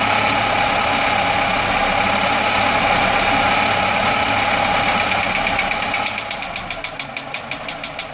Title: Atomic 4 Popping noise